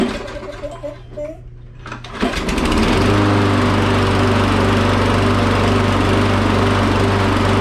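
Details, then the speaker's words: Briggs and Stratton engine after governor/RPM adjustment (target about 3600 rpm), freshly fueled: brief surge/stumble on start, then steady even drone at constant governed speed with no hunting; rpm sounds good. "so when that happens the ball just isn't all the way full but it was leveling out so the rpm sounds good to me"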